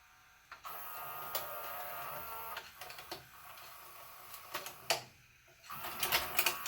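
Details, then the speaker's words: JVC HR-S3500U Super-VHS VCR, bought in 1998 and about 25 years old, cycling after fresh grease was applied to work it in: a small motor whirrs with irregular clicks as the tape loads and unloads, nothing binding. Normal tape loading. "does sound quiet I have to go back and compare them but all right I think we are good to go here just let it do this a few times working that grease"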